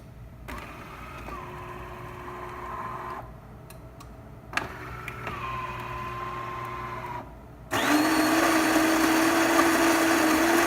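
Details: DeLonghi Magnifica grinder after replacement (old one stopped grinding after water was poured into it): steady motor whirs in short runs, then an even burr grinding with no straining or clicking; normal grinder operation.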